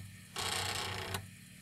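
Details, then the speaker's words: Commodore 1541 disk drive, head stepped to track 42 by Karateka, stuck at the limit: on LOAD "$" a sharp rapid rattling buzz under a second ending in a click as the head tries to move but stays stuck against its stop. "now if I do a load dollar sign it tries to move but it's stuck there"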